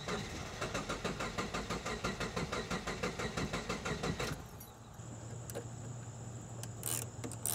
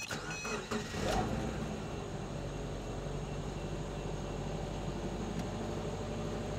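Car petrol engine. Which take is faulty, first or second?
first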